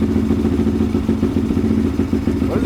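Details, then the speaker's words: 2005 Yamaha Raptor 660 (bought running poorly, died on throttle) on choke: rough uneven single-cylinder running with sharp pops and thumps, fire out exhaust and back through intake; owner thinks it smells lean, suspects idle mixture screws need tuning. "There's fire everywhere in this thing. It's shooting fire out the exhaust. There's fire coming back through the intake."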